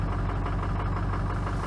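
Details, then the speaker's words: Ford F350 6.0L Powerstroke diesel after replacing injectors with Ford reman units and charging batteries, cold start; fires right up into a deep, even, steady low-rumble idle with no misses or stumbles: normal cold idle. "was she fired right up oh that's nice perhaps little power I could drive away right now"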